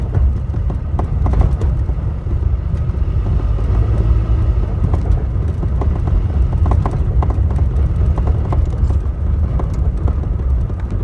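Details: Toyota Tacoma driven over a rough road: heavy road rumble with irregular sharp clunks and knocks from under the steering wheel/column as it crosses bumps; cause unknown.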